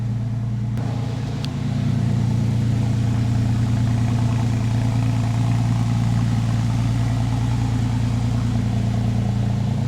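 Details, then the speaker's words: 2001 Porsche 911 Carrera 4, freshly rebuilt M96 engine converted from 3.4L to 3.8L, first start with good oil pressure: flat-six settles into smooth even idle, steady low rumble, no ticking or knocks. Normal idle. "she sounds really really really good no ticking nothing"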